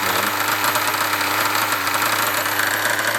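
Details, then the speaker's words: Nova B5R Evo nitro engine in an RC buggy, tank four of break-in; mechanical engine noise of combustion rather than exhaust; steady high fast buzz with light mechanical rattle; normal running. "that's just the mechanic of the engine you know you're hearing the combustion you're hearing everything and not the exhaust"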